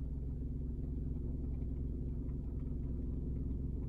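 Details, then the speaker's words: Car in drive holding brake, A/C off, heard from cabin; deep droning rumble and hum at idle that quiets briefly after shifting to park then gradually builds again; abnormal vibration, cause unknown. "今静かになりましたでもだんだんまた震度が大きくなってくるんですねまた聞こえてきましたよね"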